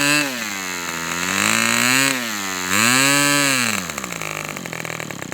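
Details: Customer's Fox twin-cylinder glow model engine on outdoor test run, glow igniter left on: smooth high buzz swelling and sagging with throttle before settling; clean and even, no misfire.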